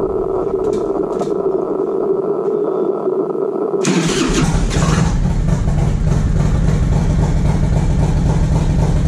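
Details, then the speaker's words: 1994 Harley-Davidson Road King FLHR, 80-inch Evo with CV40 carb, Screamin Eagle air cleaner and 2:1 exhaust, after carb fix for light-throttle stumble: starter whirs, then catches to strong, even lumpy idle without stumbling; running normally. "so we can fire it up and show you guys what it's supposed to sound like"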